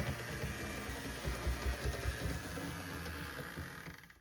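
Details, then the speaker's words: HO scale BNSF GP60M Warbonnet model locomotive on test track: small motor whirring with uneven rough grinding and rattle underneath; suspected wire rubbing in the drivetrain, wiring poor after rear truck rewiring. "It sounds like we may have a wire grinding on something in the drivetrain."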